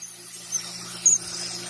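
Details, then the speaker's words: Pool filter after cleaning, pump restarted on the timer with the air bleed valve open: soft steady high hiss over low pump hum as air bleeds out, normal until water pours out and the valve is closed. "You're gonna hear the hissing sound of air. It's normal. And you just have to wait until the water starts pouring out, then close it back so you can remove all the air bubbles."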